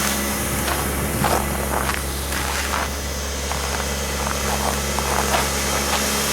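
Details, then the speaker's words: 1985 Honda Accord DX, carbureted, 226,638 miles, cold start at 5°F: low, steady idle hum just after starting, slightly rough but settled; engine healthy, gearbox very stiff. "I'm just gonna let it warm up a little bit. The gearbox is very stiff. But I mean, you can hear it sounds pretty good, really. Not bad."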